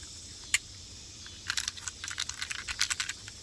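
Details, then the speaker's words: 2007 Nissan Versa rear hatch release unit, removed and not working, shaken by hand: quick irregular bursts of light, sharp ticks. Something is broken and loose inside, suspected but not yet confirmed before opening it. "Something broken in there."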